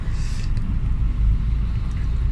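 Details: Hyundai Getz petrol 12-valve with high, unstable idle and hard starting, after coolant temperature sensor replacement; warm engine at 75 °C with aircon on, about 826 rpm, low steady even rumble, idle settled and healthy.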